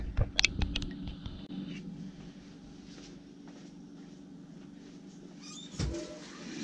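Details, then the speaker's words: Rinnai tankless water heater after cleaning bugs and debris out of the blower, which had been rumbling loudly and throwing error code 10: after some handling clunks, a smooth, even low hum with no rattle. Now runs quiet, as it should. "I mean it's so quiet now compared to how it was that's how it should be"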